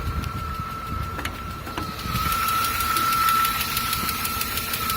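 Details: 2004 Chrysler Crossfire idling after a hard drive; light fast tick-tick from a bad exhaust lifter, first cylinder on driver's side, plus a steady alternator bearing whine on top.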